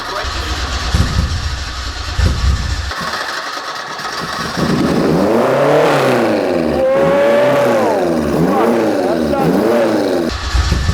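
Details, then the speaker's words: Fiat 131 Mirafiori Abarth with newly fitted twin Weber carburetors, first run after years off the road: the engine catches, then the idle hunts up and down. The throttle cable is too tight and the two carburetors are unbalanced, with one supplying more fuel. "i need to balance it that's why it's doing that yeah because one's injecting more when it needs to"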